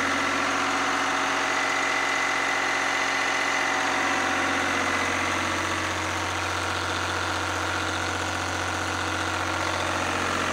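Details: Lister #2 diesel generator just after fuel system plumbing from a former 20-gallon dry-sump oil tank, run to check for leaks (none, no drips): slow, even thump about three beats a second with constant hum, no misses or knocks; healthy idle.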